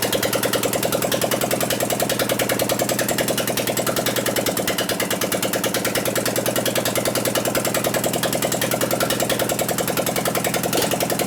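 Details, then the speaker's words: 2001 Gilroy Indian Chief V-twin race bike rebuild, running with no exhaust pipes after the plug wires were moved: lopsided, choppy pulses as if one cylinder barely fires; misfire, ignition suspected but not confirmed. "it actually acts like it wants to hit, but it doesn't."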